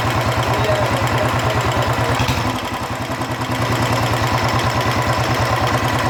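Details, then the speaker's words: Royal Enfield Bullet 350 Electra single-cylinder idle: fast regular ticking about three per second following engine speed, softer than before; worn rocker arm still tapping, to be leveled with emery paper. "यहां पर थोड़ा जो चिड़िया घिस गया है घस गया है इसको इसमें आवाज आ रही है"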